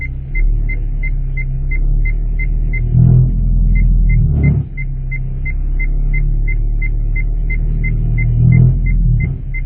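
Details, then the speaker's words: 2015 Hyundai Solaris 1.6 L 123 hp, 6-speed automatic, ~65,000 km: low rumble with harsh crackling as the engine rocks in reverse under load, brake held, cold or warm; powertrain mount touched the bent crankcase guard, fixed by bending the guard away. "вот в моём случае при включении задней передачи эта опора упиралась в касалась её и издавала вот такой неприятный звук"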